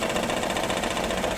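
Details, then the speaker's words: Maruti Suzuki WagonR K-series with check engine light, oil consumption, one cylinder not working: idle chuffs unevenly with stumbling lumpy beat and heavy engine vibration through the mounts; engine misfire, possible overheating suspected. "गाड़ी का engine भी vibration कर रहा है बहुत [संगीत] ही बहुत ही बुरी तरीके से और इसका जो इंजन माउंटिंग है ये जो साउंड है इसकी वजह से आ रहा है क्योंकि देख सकते हैं इंजन कितनी बुरी तरीके से वाइब्रेशन कर रहा है और गाड़ी मिसिंग भी कर रही है"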